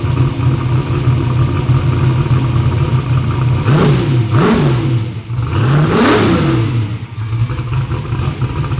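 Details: "Black Sheep" V8 race car at first fire-up after new injectors; steady lumpy idle, then two clean throttle blips up and back down; runs crisp and healthy, though a front and rear seal oil leak is still to be fixed.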